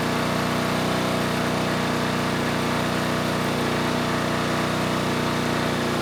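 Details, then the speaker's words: Generac G1000 750 W portable generator, no history, running a light load; steady even drone at constant speed with no surging, 132 volts at 60.5 Hz; normal running under light load, though the carburetor remains an issue. "what can I say started first pull and the voltage was pretty good we're at 132 volts and 60 and a half Hertz so yeah we definitely have a viable generator here"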